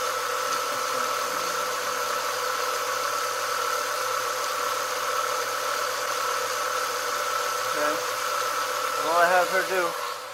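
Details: 1996 Ford Mustang idling after an AC compressor with a bad pulley was replaced and the serpentine belt refitted: smooth, even hum with no knocks or stumbles; new compressor has good compression and bearings, normal idle.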